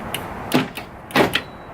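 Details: 1999 Ford Expedition, newly replaced door lock actuator with a 10mm bolt substituting the rivet, tested after install: two crisp, solid clunks about half a second apart, lock then unlock, no grinding or buzzing; actuator working properly.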